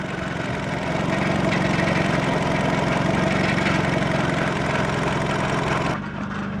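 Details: 2004 Nissan Sentra in drive at idle, heard from under the car; fast tinny buzz about four beats a second from the lower exhaust heat shield at a loose clamp, stops in neutral; fixed with hose clamps.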